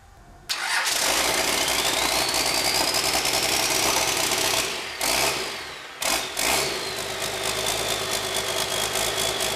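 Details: 1997 Cummins 5.9 12-valve with P7100 P-pump, 960,000 km, cold start at half throttle after cracking injector lines: starter churns unevenly before it stumbles, catches and settles into coarse diesel clatter; slow, hard start.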